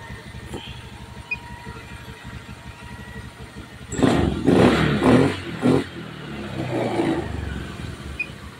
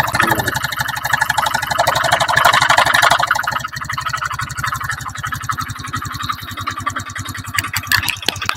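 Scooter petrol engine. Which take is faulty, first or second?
second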